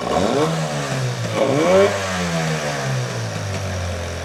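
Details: Outboard motor just after a carburetor cleaning: revs surge and sag unevenly, then settle into a rattly rough idle; owner suspects the set screws (idle and mixture) need adjusting, not yet confirmed.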